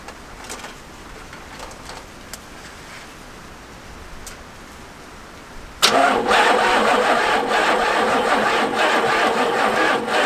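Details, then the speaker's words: 1985 Oldsmobile Cutlass 307 V8, first run in years after fixing distributor to restore spark, fuel poured into carburetor: cranks, fires abruptly and runs rough and uneven only on primed fuel, not idling. "at this point i think we're pretty much ready to connect up the rest of our fuel lines and squirt some juice down the carburetor and see what happens"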